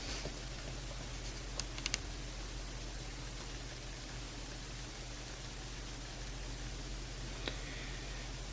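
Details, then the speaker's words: HP x360 laptop on startup with system fan error, microphone next to fan: a few faint isolated clicks over steady hiss, no fan whir spinning up; fan seized by a snagged hair. "so there's a few faint clicks there I'm not sure if you can hear that knob there's a few fan clicks so we're going to have to open this up and investigate what's going on see the fan has seized"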